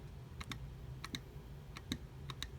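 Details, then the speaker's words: Mercedes 190SL Solex carburetor, unmounted, throttle rocked by hand while the butterfly is held: light sharp clicks in pairs about every half second; the throttle shaft is loose and needs bushing and new shafts. "So your throttle shaft is loose there. They need to be bushed with new throttle shafts."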